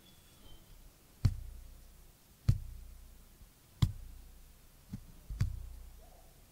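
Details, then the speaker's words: Cambelt on a Ferrari with age and mileage wear, plucked and recorded by microphone as a tension test: dull low thuds about once a second, each fading into a floppy very low bass note; the belt is too loose. "you'd never hear that with your ear but you can actually hear it on this microphone it's a very very low bass note isn't it but um that is too loose"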